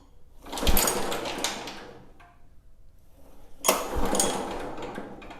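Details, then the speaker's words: John Deere JA65 mower found grossly overfilled with oil, pull-started: light fast whirring clatter with no compression thumps; crankshaft spins but there is essentially no compression. "Yeah. So that crankshaft's spinning around. It just has no compression."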